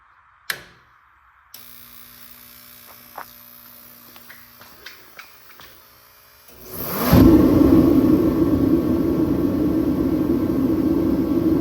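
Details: Kerosene/diesel torpedo heater running on diesel, after fuel line replacement: a few clicks, then the burner lights with a rising whoosh and settles into a steady, even roar; running normally.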